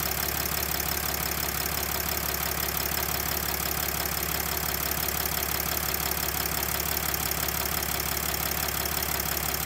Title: OM642 R320 CDI 3.0 V6 diesel engine ticking knocking noise?